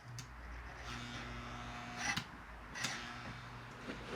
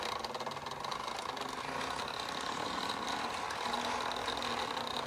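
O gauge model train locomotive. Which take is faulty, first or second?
first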